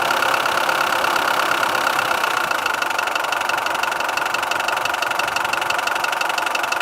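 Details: Mitsubishi 4D56 turbo diesel idling with a sharp single metallic knock about twice a second, loudest near the manifolds; new cylinder head, rebuilt pump, new turbo, valves adjusted; cause was timing shifted by a worn keyway letting the crank pulley slip.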